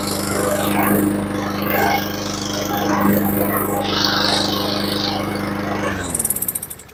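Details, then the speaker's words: Honda lawnmower at its first start test on choke: it runs steadily for about six seconds, then the pitch sags and it dies. A carburetor float needle stuck shut and starving it of fuel is suspected; Seafoam is planned next. "And hopefully, like I said, it does fire up. And it sounds good, just doesn't run very long."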